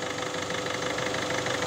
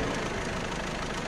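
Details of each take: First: 1.6 HDi diesel, newly fitted engine, still cold, after replacing the timing chain, tensioner and guides to cure a metallic noise from the chain side: steady even idle, about three pulses a second, no rattle; sounds healthy. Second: 1.6 HDi engine, newly fitted, noise heard after first oil fill: fast metallic clatter over idle from timing-chain side, coming and going in strength; worn or stretched timing chain, tensioner or guides suspected.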